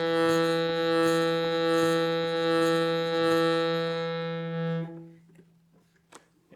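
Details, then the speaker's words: Shruti box after filing buzzing reeds, retesting: steady reedy drone with a raspy rattling edge; this reed still buzzes against its frame and needs more filing. "let's check the next read still got a buzz"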